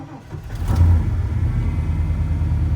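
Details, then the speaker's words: 1996 Ford F350 with 460 V8, very cold start just after an ignition coil replacement. Short crank, then it fires and holds a deep, steady, even idle without stumbling. "all right boys she's running and that is how we do it here in michigan"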